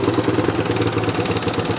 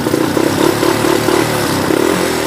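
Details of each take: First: Yamaha YTM 200 single-cylinder ATV idling off throttle with idle set high, since it won't idle otherwise once warmed up: quick steady patter faster than normal idle. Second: Yamaha YTM 200 single-cylinder ATV with throttle cable broken, idle set slightly high: engine putters and blips, pitch rising and falling with throttle, firing steady without misses; running good and strong.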